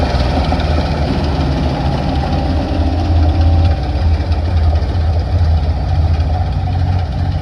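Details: 1960 Grumman Olson curbside van, dragged from a field, radiator topped up with water; deep, steady idle holding an even beat without stumbling. Normal idle.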